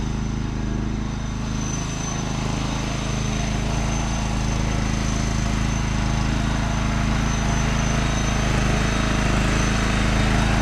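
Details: John Deere LX186 riding mower, 17 hp Kawasaki engine with hydrostatic drive, test drive: steady, even engine drone under way with no knocks, whine or grinding; reverse neither slow nor whining, so the hydro seems good; runs and drives well.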